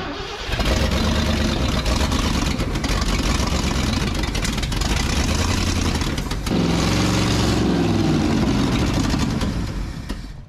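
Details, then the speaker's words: 1968 Ford F-250 with 390 V8, barn find after sitting nearly 10 years, new fuel lines: fires and settles into a loud, fast, unsteady idle with no knock; possibly idle adjustment or a suspected vacuum leak. "One idle. That sounds pretty loud to me."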